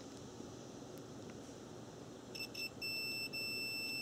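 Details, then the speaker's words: Cooling fan relay bench test, direct power on terminals 1 and 2, multimeter continuity across terminals 3–5 and 6–7: relay clicks, a few short chirps then a steady high continuity beep; contacts close normally. "so here we go applied direct power let's see if it clicks which it does"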